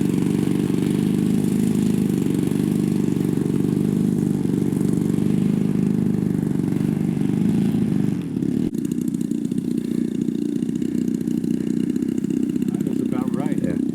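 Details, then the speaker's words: Top Flite Giant P-40 RC plane with a BLE 55 rear-exhaust engine, maiden flight in cool air: steady high buzz at full throttle, slightly soft and blubbery on top, then a drop; high-end needle still a little rich. "It'll probably still be just a little rich, but that's all right. I think a little rich. Yeah, it's still a little fat on the high end."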